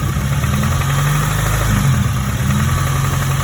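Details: 2002 Acura RSX Type S petrol engine held just above idle: deep, steady low knock from the bottom end, suspected rod bearing knock, not yet confirmed; higher-octane fuel tried, engine being pulled to rebuild the bottom end.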